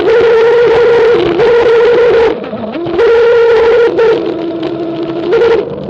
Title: Strange noise & vibration while descending